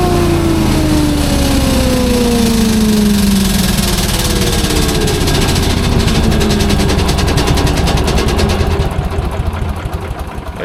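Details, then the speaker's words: Leaf loader engine just filled with two quarts of 10W-40, C-clamp on the sensor, no battery pack: it pulls steadily with even firing and revs ease down smoothly with no knock or miss. The fuel pump works well. "oh yeah that full fuel pump's working really good"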